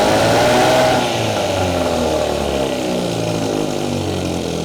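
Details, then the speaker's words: Old Evinrude 6 hp Fisherman two-stroke outboard, revived from barn storage, running in a hot garage: steady, slightly uneven two-stroke buzz that settles after a brief rev, runs like a top; normal running. "I am so so excited to get this out in the water, guys. Runs like a top."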